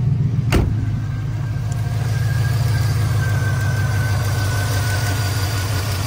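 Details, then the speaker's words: Wrecked 2020 Silverado with a swapped-in engine from a 2003, smoking and oil around the exhaust manifold: low idle rumble with an uneven, stumbling beat that never settles. A bad misfire. "you know you can hear it no you can hear the Miss bad"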